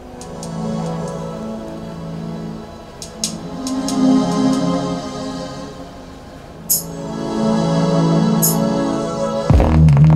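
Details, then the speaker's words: Soundcraftsmen A2502 amplifier playing music, with hum on both channels: a rough, fuzzy breakup that thickens on heavy bass notes. Distortion from a failed power supply filter capacitor. "Notice that the bass notes are really where we hear the distortion. The bass notes are what take a lot more power."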